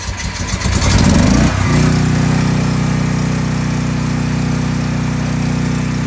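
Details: Westinghouse WGen10500TFc tri-fuel generator on natural gas: cranks roughly, catches after about 1.5 seconds, then settles into a smooth, steady drone. It has had a hard-starting problem since purchase, needing about 5 minutes of attempts, but runs normally once started.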